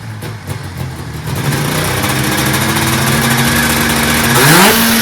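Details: 1980s fan-cooled Yamaha race snowmobile with new fan bearings, a retensioned belt and an added 41 mm Mikuni carb, recorded without external mics: the two-stroke picks up cleanly from a rough low idle to a high rev, no misses. Normal revving.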